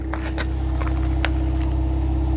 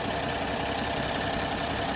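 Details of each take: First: 2025 Ram 1500 Rebel twin-turbo inline-6 SST, 2,500 miles, at the exhaust after the engine cover was removed for a multiple random misfire: steady, smooth, even idle hum with no misses or vibration, no check engine light. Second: 2025 Ram 1500 Rebel, twin-turbo inline-6 (SST, 420 hp), 2,500 miles, no check engine light: harsh, uneven, lumpy stumbling idle under a steady roar with the engine visibly shaking; clear misfire.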